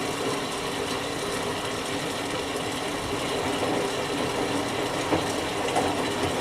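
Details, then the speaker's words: Whirlpool Duet Sport front-load washer, after oven-reflowing the control board's solder for an F-1 error on final spin: steady even whir with soft rhythmic churn, no knocks or scraping; washing normally. "it's gonna wash for a couple minutes and then rinse and spin all that stuff"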